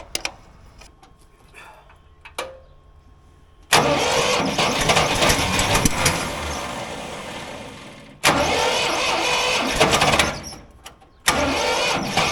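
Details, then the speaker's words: Old Ford loader backhoe, sat over a year (likely 5+ years unused), first start after revival: starter cranks briefly, engine catches and runs on its own without starter fluid, cuts off and restarts cleanly; runs fine. "it fired up it sounded pretty good it was running on its own you know without the help of starter fluids that's good"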